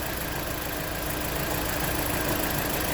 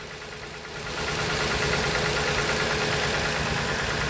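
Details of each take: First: 2016 Jeep Patriot with cylinder 2 misfire (P0302): after swapping ignition coils the misfire cleared, steady even idle with no stumble; faulty ignition coil, injector apparently working, plugs to be inspected. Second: 2016 Jeep Patriot with codes P0302, P0171, P2096 and P000A, during a coil-connector test: rough idle with an uneven beat about three times a second as one cylinder drops out; that cylinder is misfiring while the others show a change.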